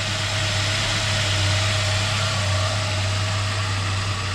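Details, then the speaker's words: 2005 Ford Ranger 2.3 four-cylinder idling just after valve cover and intake gasket, plug and plug wire replacement, checked for leaks, shaking a little: steady even idle, smooth low hum, no knocks or ticks; normal idle. "I'm just looking for leaks, make sure. Shaking a little bit. Alright, as far as I can tell, we're going to be okay."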